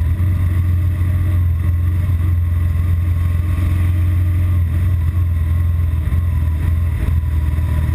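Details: BMW R1200GS Adventure: deep, lumpy twin-cylinder idle that wavers and dips, heading toward a stall. The fault is intermittent and usually appears in traffic after about 20 miles of fast A-road riding.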